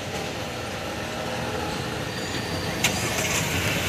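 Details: Nissan Kicks remote engine start with the car locked: the engine catches and settles into an even, steady run under outdoor street noise, a normal healthy start.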